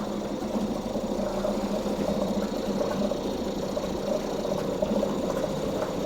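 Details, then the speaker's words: 2004 Mercury 2.5 hp two-stroke outboard, not winterized and sitting 6 months, running indoors with choke partly reduced; steady, even buzzing run with a constant mid tone and no misses or knocks; normal running. "Well, that's awesome. It runs. Ah, that two-stroke smell."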